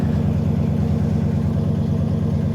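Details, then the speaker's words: Ford Econoline van with fuel-injected 302 V8, cold start, single glass pack and dual tailpipes: deep even burble settling to a steady low idle with no misses or ticks, then a clean rev; normal idle. "going to idle right down nice. Boom. Let's give her a little rev here. Nice."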